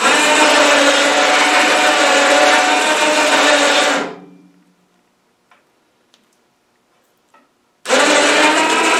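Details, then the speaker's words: 12 V winch motor rotating a snow blower chute, reinstalled after greasing the gearbox: loud harsh steady gear whine, pause, then again; greasing didn't help, owner suspects it's just the nature of the gearing, maybe amplified through the blower; gear noise. "oh boy that uh that little winch motor some noisy eh uh i thought by putting grease in there in the gear box it would quiet it down a little nah it didn't help i think it's just the nature of all that gearing in t"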